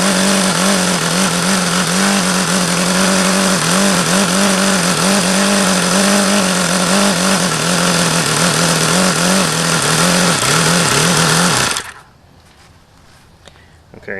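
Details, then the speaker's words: HP VT 21 model engine that has run poorly since day one: a shrill, high-revving buzz wavering and surging for about twelve seconds; it runs rough and won't idle down, cause unknown. "okay so that's how this thing runs by far one of the most frustrating engines I've ever tried to run"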